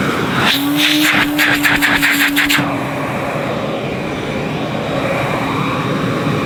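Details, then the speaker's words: 1977 Hoover 427 cylinder vacuum cleaner, near mint, started cold after sitting in a cold garage: a brief hum and rattle settling into a steady, even rushing roar; the motor sounds fine and should run smoother once warmed up. "not too bad I think she'll Pur a little bit better when she's warmed up a bit"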